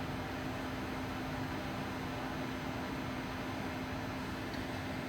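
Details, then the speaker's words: Replacement touch-screen induction cooktop in a box van heating water at the 450 setting, water bubbling. A steady, even hum with faint fan hiss and a constant tone near 250 Hz. Much quieter than the previous unit's high-pitched noise. Normal induction hum under load. "So, I do hear that like electricity sound, but it's not like hurting my ears."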